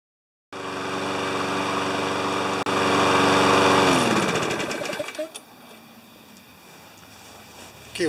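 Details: Briggs & Stratton 7.25 HP mower that wouldn't restart when hot, after an ignition coil replacement, warm-up test run: catches at once and holds an even steady run for a few seconds before winding down; normal running.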